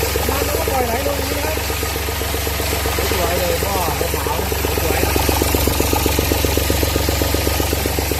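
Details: Mitsubishi S3L-2 turbo three-cylinder diesel, 33 hp, test-run with the alternator connected: steady, even clatter at a settled idle with no knocks or misses; the turbo is described as tight and the engine runs healthily.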